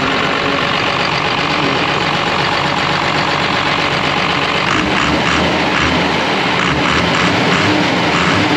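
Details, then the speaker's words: Cummins-swapped Ford F-550 with compound turbos, almost zero blow-by: heavy diesel roar rising and settling on throttle blips, clean and even without knock or miss, some smoke; normal diesel throttle rev. "so I'm going to go ahead and pop the throttle for you guys you guys will see where the Smoke's coming out"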